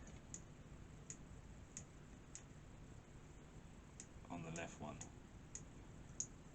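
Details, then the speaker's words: Left thumbstick on a PS5 controller makes light, sharp clicks about every two-thirds of a second as it moves, like it catches on something; this stick had no drift when tested, cause unclear, possibly not a problem. "yeah there's a very funny it's like it's catching somewhere can you hear that click this one doesn't do it right might not be a problem"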